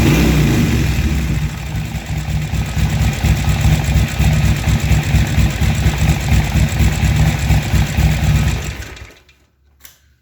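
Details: Harley-Davidson XR1200 V-twin after a new throttle position sensor fixed the idle; it starts, settles into a steady loping idle, takes a few clean throttle blips and shuts off, running evenly.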